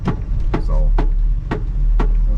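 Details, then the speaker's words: 1974 Apollo on a test drive: loud thump about twice a second, once per sweep, over low road rumble. The windshield wiper is very noisy; cause unknown, and everything else seems to work fine. "wipers can you hear that yeah you gotta be able to hear that that is making a lot of noise hopefully it doesn't stop"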